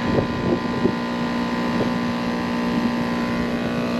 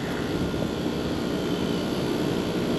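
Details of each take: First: Packaged AC unit, three-phase compressor that had overheated with open windings: steady fixed-pitch droning hum, pressures about equal, warm suction line, amp draw about 52-53, not pumping; possibly out of phase. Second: Packaged AC compressor after swapping the three-phase leads that an electrician had miswired: even, steady hum and whoosh, pressures coming down, suction 58; pumping normally, condenser coil dirty.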